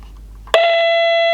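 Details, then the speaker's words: Portable CB radio on 12 V with battery indicator: loud steady high tone starting abruptly, unchanged by the volume setting; owner suspects the audio stage oscillating. "whoa that didn't sound too happy doesn't matter what the volume set to either I don't think"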